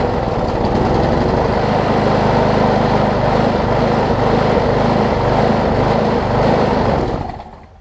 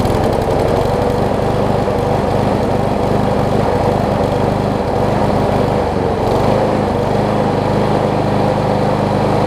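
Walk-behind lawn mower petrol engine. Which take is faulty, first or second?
first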